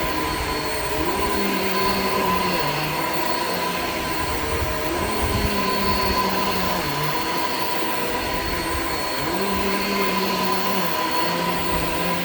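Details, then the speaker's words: Shark Infinity Pet Care vacuum vacuuming a living room: steady motor whine with a creaky, uneven low tone that drops and recovers; very old worn belt letting the brush roll slip, roll stopped many times, needs replacing. "all right so as you could hear the belt on this is like pretty much shot like it's it's really old clearly needs to be replaced brush will stopped many many times"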